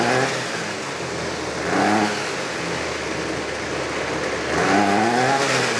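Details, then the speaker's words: Trash-picked Ryobi 25cc two-stroke string trimmer after fuel line repair, buzzing at fast idle, revving cleanly twice and settling back; runs smoothly and holds speed, normal. "that ain't too bad I think that'll do just fine"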